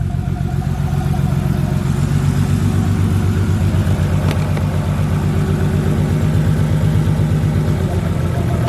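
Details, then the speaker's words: Nissan Skyline R33 with a misfire: steady low idle pulse, now more even but with a slight recurring stumble; firing improved, a bad spark plug suspected, one cylinder possibly still missing. "we're getting somewhere spark plug wow okay there you go spark plug issues hey that's crazy"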